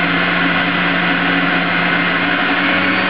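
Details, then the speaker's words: Breville iKon centrifugal juicer spinning up, speed raised to 2 then 3 for apples: loud steady high-speed whir, even motor tone without wavering; normal high-speed running. "You can hear it spin up at this point in time. I'm increasing to 2. I've increased it to 3."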